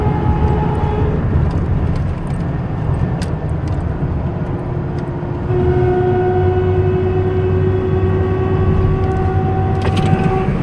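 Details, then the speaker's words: 2000 Dodge Ram 1500 while driving: steady tonal hum rising and falling with speed, from a rear differential with worn ring and pinion gears; the whole differential and bearings were replaced. "2000 Dodge Ram 1500, un problema en el diferencial, haciendo un zumbido, no sé si lo alcanzan a escuchar."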